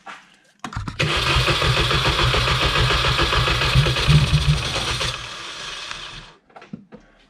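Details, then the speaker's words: R53 Mini Cooper that won't run after refueling, cold-start spray used: starter chugs about four turns a second, then catches, roars a few seconds and dies; points to a fuel system fault. "well maybe it is so i think that could prove that we have a fuel issue"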